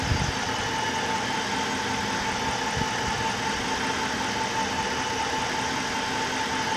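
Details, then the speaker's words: 2003–2008 Chrysler Hemi, first start after rebuild with new heads following a dropped valve seat, engine pre-lubed by cranking: smooth, even idle with steady hum, no lifter tick or knock; normal idle. "go sounds pretty normal no lift or ticks or nothing Prelude took care of that"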